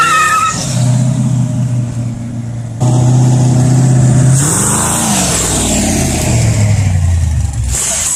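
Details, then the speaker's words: LS1 V8 swap being idle-tuned with HP Tuners, no wideband yet: lumpy rev rising and falling with uneven crackles and pops, running very rich, backfiring and popping. "i know it's backfiring and popping and it's burning my eyes it's so rich honestly"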